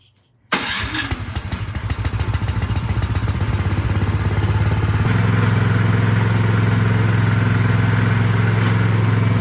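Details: Craftsman snowblower that would not start despite a tune-up last season; carburetor cleaned, test run before reassembly, it starts in half a second and settles into an even, steady single-cylinder thump.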